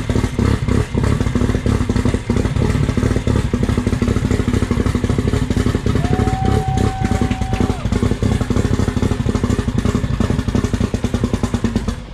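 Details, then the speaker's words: Billet Toyota 3TC drag car engine at its first start-up, on a temporary 12-volt system: crisp, regular firing at a fast idle with a brief whistle; runs cleanly and sounds healthy. "damn it sounds good what do you think you like it yeah it sounds really good right"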